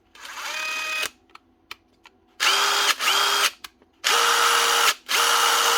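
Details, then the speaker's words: Dewalt cordless tool after washing out the dirty trigger switch: short bursts of high motor whine climbing and dropping smoothly with the trigger, each run even and clean; normal variable speed operation. "That's her. Simple as that. Going through the speeds again, as it should."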